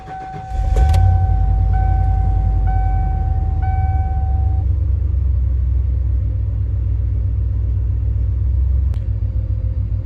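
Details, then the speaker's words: 1997 Ford F250 HD 460 V8 after tune-up (Autolite copper plugs, Ford Racing wires, Accel coil, cap, rotor, fuel filter, air filter) on old fuel; cranks, catches quickly, deep steady rumble, no misses or ticking, throttle snappier: normal idle. "seems pretty good there uh it's got some pretty old fuel on it so i'll go uh and throw some insurance on tomorrow take it for a good run and see what she does but definitely uh throttle's a little snappier as well"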